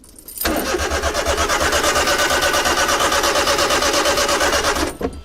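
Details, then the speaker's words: Honda Beat JDM sport car, clutch in, fuel pump now delivering fuel after fuel filter work (owner suspects main relay): starter cranks steadily about three turns a second for 4.5 seconds, never fires; crank no start. "This time I'm not as disappointed because we figured out the fuel filter. The fuel filter's right there. Fuel pump. So it is functioning now."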